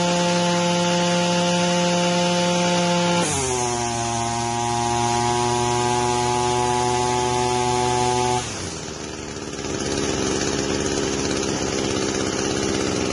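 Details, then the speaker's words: Warmed-up Echo 225 two-stroke string trimmer, run without choke: whiny high revs, then the pitch steps down and labors before rising again. Owner suspects fuel starvation and a possible leak at the primer bulb. RPM surging, cause unconfirmed. "If you can hear it, it gets into a whiny situation where it's kind of starving for fuel, and the RPM comes back up and it revs real high, and then it kind of comes back down and it labors a little bit."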